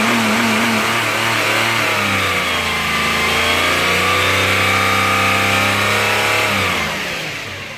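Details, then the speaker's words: 2008 Subaru Outback EZ30 flat-six revving with the serpentine accessory belt off: smooth, even rev, no power steering or accessory whine. "Now, what this video is about is to hear the engine without any of the accessories dragging it down."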